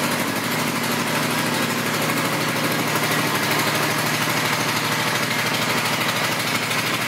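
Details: 2005 Suzuki Boulevard M50 with stock pipes, 17,408 miles: smooth, regular V-twin idle with even loping exhaust beat, no ticking or misses over seven seconds; sounds healthy.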